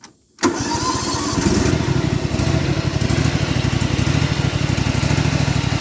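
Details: John Deere GT235 lawn tractor with a new PTO and new muffler; cold start without choke, cranks briefly then catches and settles into a steady, even single-cylinder putter with no misses or knocks; healthy idle.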